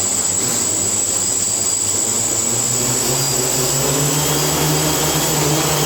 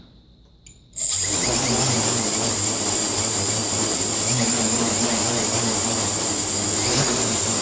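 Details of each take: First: Quadcopter on a tuning stand after INAV P gain lowered from 25 toward 9; even, steady motor buzz with constant high tone, no surging or pulsing, motors no longer overcorrecting, holding a stable hover. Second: Quadcopter on a tuning stand, INAV PID tuning: pitch P gain set to an exaggerated 25; steady high motor whine with faint wavering as motors hunt back and forth, oscillating because P is too high.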